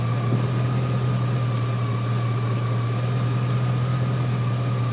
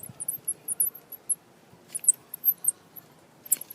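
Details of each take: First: 2003 GMC Sierra SLE, 4.8L V8, idling on a replacement junkyard 105 A remanufactured alternator; even idle with a faint constant whine, no knocks or misses; 14.2 V measured at alternator; healthy, normal idle. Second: Original alternator removed from a 2003 GMC Sierra SLE with the 4.8 L engine, turned by hand off the truck: thin, high chirping squeaks inside, with no play in the pulley. The owner thinks the alternator has failed.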